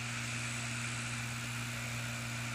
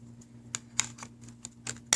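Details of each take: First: PS3 Slim disc drive after the temporary fix, spinning up a game disc: a steady, even hum with a faint high whine and no clicking or grinding; it reads and plays normally. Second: PS3 Slim disc drive with its cover off that was not accepting games, laser reset up: irregular scratchy scrapes about three a second over a faint hum; a drive piece not pulled back and seated rubs the side.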